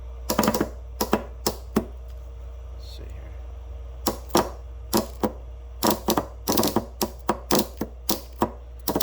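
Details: Westerbeke W13 4.4 kW diesel generator glow plug solenoid on the bench: sharp irregular clicks in quick bursts as it is cycled; contacts measured high resistance or open when closed, causing intermittent hard starting.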